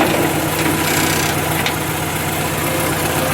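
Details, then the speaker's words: 1966 Austin Healey Sprite small four-cylinder, in neutral, after fuel pump replacement: idles on its own with a steady even beat and no stumbles; the old fuel pump was why it wouldn't run. "but yeah she runs on her own that fuel pump was the reason why it wasn't running"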